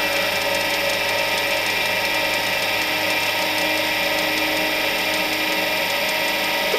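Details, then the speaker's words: Charnwood W824P midi lathe after fitting a replacement control module (old one faulty, speed wouldn't get past 300 rpm then died): at lowest speed setting the motor gives a steady whirring hum and even whine, holding revs; normal running at low speed. "she's staying up. So we'll turn it up now to its max. Right, we seem to be fluctuating a little bit, but nothing too bad. It's holding its revs up though, so that's the bonus."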